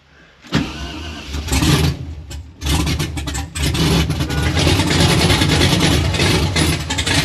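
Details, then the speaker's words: 1992 Firebird with LS swap on Holley Terminator X, first start, oil pressure confirmed: V8 cranks, stumbles, catches and settles to a lumpy uneven idle with surges; running quite rich per wideband O2 at header exit. "Okay, on our last little segment, we started the car. It's running okay, it's running quite rich, and let me show you why we think it's running really rich."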